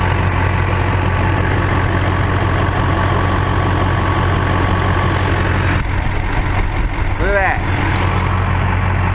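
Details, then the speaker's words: 19-year-old LB7 Duramax diesel pickup at 400,276 miles, engine still cold, exhaust heard: deep steady idle, even low rumble, no knocks or misses, faint chirp near the end; healthy. "And here's the exhaust. Sounds healthy, don't it?"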